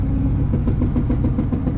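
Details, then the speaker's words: Twin-engine Mazda MX3 AWD drift car with blown differential, turning right under load: repeated hard knocks and grinding clanks under the engine drone on every right turn; left turns are fine. "so turning right really sucks because it grinds and clanks and hopefully i make it"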